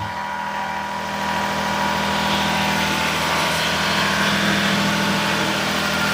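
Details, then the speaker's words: Daihatsu S210P mini truck engine after new OEM camshaft and phaser, first run in two years, 180 psi compression, alternator not running: steady, even idle with a smooth regular beat, no knocks or misses; healthy. "She sounds great. She's running that 180 lbs compression. Man, this thing sounds good."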